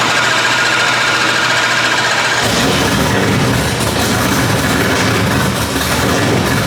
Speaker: obviously we started the car sounds healthy